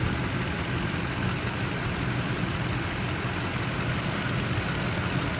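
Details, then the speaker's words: Toyota Tundra TRD V8 after replacing Mobil 1 synthetic with Toyota synthetic motor oil (ticking began after oil change around 3,500 miles): smooth even idle, no ticking; normal idle. "so that pretty much took care of the ticking noise and uh if you guys are having a problem with ticking you might want to give that a shot"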